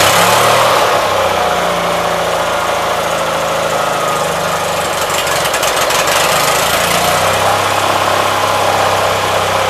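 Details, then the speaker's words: 1976 Gravely 816 tractor after reassembly, possibly flooded: steady idle drone that briefly roughens, pops and stumbles then recovers; intermittent stumble, cause unknown. "so uh you see it pops and bags and recovers"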